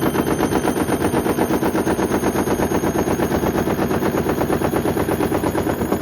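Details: Hoover Link HL1682D3 washing machine, dented leaning cabinet and twisted door seal from prior abuse, on spin: hard rapid banging nearly three times a second as the drum slams the damaged cabinet; extremely loud.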